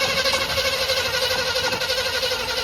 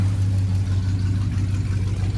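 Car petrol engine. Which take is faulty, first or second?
first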